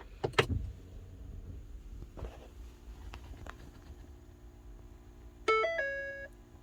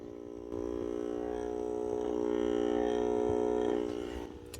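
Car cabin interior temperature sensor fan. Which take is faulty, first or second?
second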